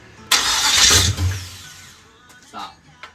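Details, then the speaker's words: Chevy 305 small-block V8 that came out of an El Camino, test-run before teardown: fires with a sharp roar, runs about a third of a second, then dies to silence with no restart; cause not yet known, teardown to follow. "it only ran for like point three [ __ ] seconds"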